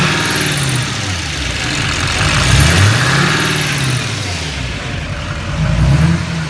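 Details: GM LML Duramax diesel revving up and down with a thin, high chirp that comes and goes over the engine; chirp of unknown origin.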